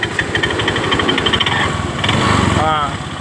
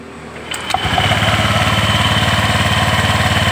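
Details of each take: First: Honda Vario 125 scooter at idle: uneven rattling roughness from the CVT with no steady beat; opened up, drive belt found very slack; roller housing, worn rollers or clutch lining also suspected. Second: Honda Vario 125 after CVT repair: the very loose drive belt was refitted and the pulleys are now tight; starter catches and the engine settles into a smooth even idle, about 220 beats a minute, with no belt-side clatter.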